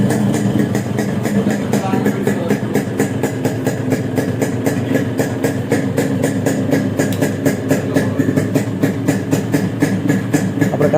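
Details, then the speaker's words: Yamaha RX100 two-stroke after full engine work with an iridium spark plug fitted: fast, even popping, about four pulses a second, steady with no misses or rattles; a healthy idle, much better than before. "வண்டியோட sound வந்து இப்போ கேட்குறதுக்கு எப்படி இருக்குன்னு பாருங்கள். முதல்ல நம்ம compare பண்ணுறதுக்கு இப்போ வந்து ரொம்பவே நல்லா இருக்குது சவுண்டு."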